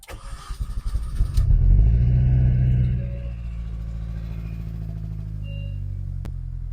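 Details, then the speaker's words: Mini Cooper S during restoration, first start after the rebuild: cranks briefly, catches and settles into a steady even idle with a low exhaust note; it starts and runs, gear selects. "We have success. So that is a huge result. I'm so pleased. It was the most nerve-wracking start of an engine I've ever done. It starts, it runs,"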